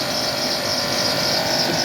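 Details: Chevy Tahoe with the battery light on, running at 11.5 V with the alternator not charging and a burning smell: a steady high-pitched hiss and whine over the quiet engine from the belt-driven accessories. The tensioner, idler pulley or alternator is suspected, not confirmed.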